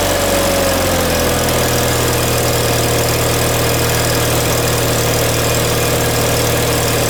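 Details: John Deere 318 twin engine just reinstalled with reworked intake manifold (previously surging), new plugs, wires and oil, shrouds off, on choke at start-up: steady but slightly fast, rough low throb, no knocks; idle set high.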